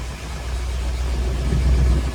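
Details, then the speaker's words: Studebaker Champ pickup idling with the AC just turned on and the compressor engaged; engine vacuum around 16.5 shows good condition: smooth, even low idle holding steady, no squeal or clatter from the compressor. "Compressor came on."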